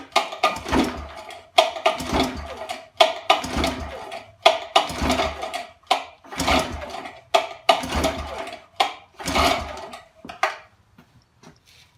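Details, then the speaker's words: 1962 Viking 15 hp outboard, bought as a pair, cranked by pull cord for a compression test with about ten short rattling turnovers and no firing; the bottom cylinder reads about 110 (just under 120), the top about 100, judged good. "the bottom's like 110, just under 120. So that that should be good."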